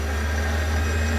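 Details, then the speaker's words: Chinese mini lathe spindle after re-seating a dislodged speed-sensor pickup magnet on the chuck shaft and lubricating bearings with Moly Slip: smooth steady hum, no grinding or rumble; bearings quieter than before. "i don't know whether you can hear the difference between when i did my video yesterday and now but the bearings are much quieter and much better lubricated"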